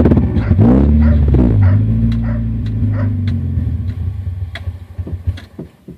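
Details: 2000 Honda CR-V with B20Z engine: revs, then the idle sags and stumbles unevenly, fading into irregular chugs until it stalls; misfiring and stalling, cause not yet known.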